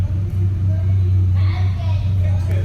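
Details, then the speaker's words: Renault Clio 182 after a misfire problem was fixed: low, steady idle hum with an even beat and no stumbles or dropouts, idling smoothly. "i think we fixed it i think we just it just needs a minute to run because to me that sounds fine now"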